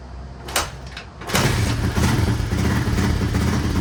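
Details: 1983 Honda XR200R single-cylinder after top-end rebuild and engine overhaul, first start on choke after primer kicks: fires after a couple of kicks, settles to steady quiet idle on half choke, no rattle or cam chain slap; cam chain to be checked when warm; normal idle.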